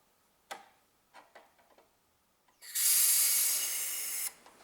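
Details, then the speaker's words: Car A/C system, R134a service valve pressed outdoors: only a weak, dry hiss for about 1.5 seconds with no liquid spitting out; system is empty, no refrigerant pressure. "okay okay and if you have that kind of situation like I have this means that me this my system is empty look because if this is full there flies liquid in outside look"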